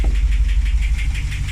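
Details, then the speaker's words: Jeep Grand Cherokee SRT Hemi V8 after cat-back exhaust install: idle rumble with sharp, steady tick about six times a second; owner first suspected exhaust leak, concludes Hemi lifter/cam tick, cam ordered. "you can hear the tick tick tick tick tick tick unfortunately the Jeep has fallen to the Hemi tick"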